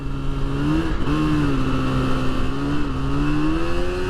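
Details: 1981 Suzuki GT250 X7 two-stroke barn find after full rebuild, first ride under throttle: steady drone slowly climbing in pitch, revs creeping without solid pull; slipping clutch, needs adjustment.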